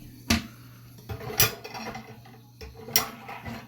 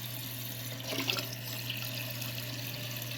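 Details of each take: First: Toilet won't fill and makes a weird hissing noise: tank hisses and trickles under a steady low drone, with clunks as it's handled, from a failing fill valve. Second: Toilet tank refilling after replacing the part blamed for a hissing noise and not filling: steady rushing water with low hum, no hiss, then shuts off; normal refill after repair.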